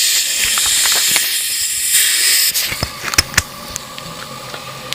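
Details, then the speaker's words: 2000 Kawasaki Lakota cylinder leak-down test, piston at top dead centre after timing had jumped, valve adjusters removed: steady high hiss of air escaping through the carburetor, leaking intake valve. "unfortunately you can hear air going through the carburetor and if I open up the carburetor that's what I get for a leak right"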